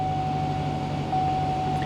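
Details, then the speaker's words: 2005 GMC Savana G1500 Regency conversion van, bought as a non-runner: fires right up, smooth even idle with steady low hum and faint constant whine, no knocks or misses; running healthy. "it seems to like to lock the doors on me fires right up it runs"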